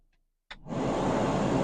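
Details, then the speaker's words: 2009 VW Jetta TDI SportWagen: a click, then a steady rushing roar of air at full blast; blower fan works only on high (setting four), not lower speeds, from a failed blower motor resistor under the kick panel. "I'm having an issue with the blower motor on or the fan blower motor it only works on high hopefully you can hear that doesn't work on any other"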